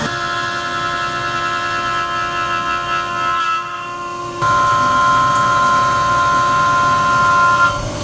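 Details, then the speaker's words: CNC machining titanium pocket-knife lockbars with small end mills, chamfer and thread mills: steady, clean cutting tones hold level, then step up as each pass starts, with no rattle. A smooth, healthy cut. "So everything on that sounded really good, and it looks pretty nice as well."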